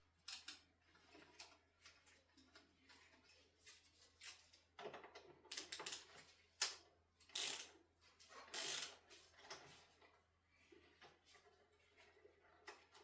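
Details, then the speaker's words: Ducati Monster 1100, front end removal for steering head bearing service: irregular sharp creaks and cracks as each fork pinch bolt is loosened, from over-tightened, poorly lubricated pinch bolts. "This is the sound of over-tightened and poorly lubricated pinch bolts. Kind of sends chills up your spine, right?"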